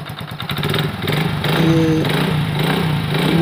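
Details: Hero Honda Super Splendor after engine reassembly, previously noisy clutch bearing: single fires up and settles into a steady, even putter with no whirring or rattling from the clutch side; runs healthy.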